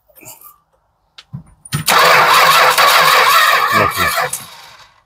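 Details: 1967 Travco 220 RV with a big block Chrysler, parked since 1988: starter cranks steadily for a few seconds but the engine never catches, then winds down; no-start.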